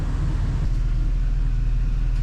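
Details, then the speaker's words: 2007 GMC Yukon driven in two-wheel drive after repair of destroyed limited-slip spider gears in 8.6-inch rear differential, fluid refilled and transfer case serviced: low steady road rumble, no clunking or banging in reverse, no whine; normal drivetrain. "two wheel drive o she sounds nice no clunking and banging in Reverse so far so good no W and noises actually it drives fairly decent"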